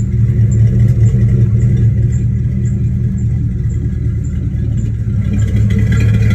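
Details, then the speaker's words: Fox-body Mustang V8 warming up at idle: loud, deep exhaust note with a fast, uneven puffing tick; bad exhaust leak at the header, which was installed incorrectly. "you know car runs a little funny but sounds good it's got a pretty bad exhaust leak from the header because my friend [ __ ] up when I had him put it on"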